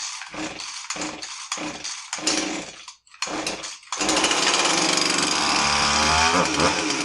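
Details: Husqvarna 350 chainsaw after replacing a fuel line that had a hole (it would not start): several rasping pull-start bursts, then it catches and settles into a steady, crisp two-stroke idle. Now runs fine.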